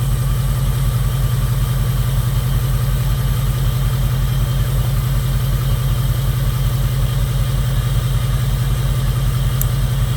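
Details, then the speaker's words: 2002 Jeep Grand Cherokee 4.7 HO V8 with coil melting problem, idling after coil 3 replugged; steady idle with occasional uneven beat, cylinder 3 intermittently not firing, carboned spark plug suspected earlier. "It still feels like she's got a miss. And she still feels like she's not firing on 3. Not all the time. She does sometimes, but not all the time."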